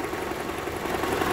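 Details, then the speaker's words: 2012 Toyota Camry 2.5 2AR-FE, idling in drive on the brake with AC on: busy, even whirring rattle drone under low-rpm load, loudest by stethoscope at the balance shaft; worn balance shaft assembly. "so I took my stethoscope and it's very pronounced in this area so we're dealing with the balance sha"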